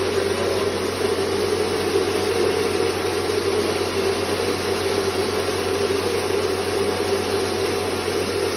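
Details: Rice mill motor after converting its noisy swinging blades to a grinding-teeth set. Smooth, even mid-pitched hum holding steady without surging or shaking: motor running normally.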